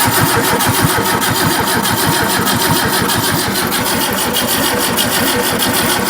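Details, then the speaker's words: Barn-find Zastava 850 (Fiat 600 lookalike), long stored, weak battery, a little fuel put into carb: starter cranks steadily about a hundred turns a minute with no firing at all; cranks but won't start, no spark. "I put fuel in there but it seems to be no spark"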